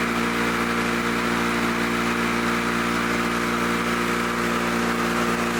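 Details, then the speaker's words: Lawn-Boy Loafer front mower two-stroke after bending the governor spring lever for more rpm, with new points, fuel line, needle, plug and rope: steady, even high-speed buzz at constant revs with no misses or surging; running normally. "close enough close enough for me sounds good"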